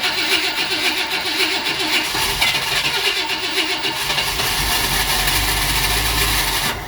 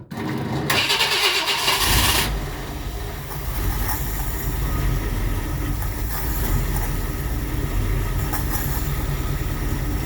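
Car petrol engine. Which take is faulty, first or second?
first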